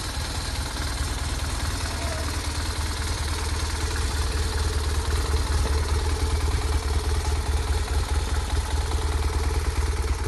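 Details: BMW R 1200 R boxer motorcycle after cam chain tensioner replacement and reassembly, started cold: steady low idle with an even beat and only light valvetrain clatter, running smoothly with no odd noise.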